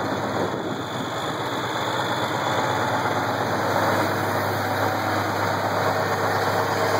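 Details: Case IH 1680 with 8.3L Cummins diesel at idle: an uneven knock about three times a second over a rough rumble. The knock started slow and got worse; a cracked cam gear with missing teeth was found under the timing cover.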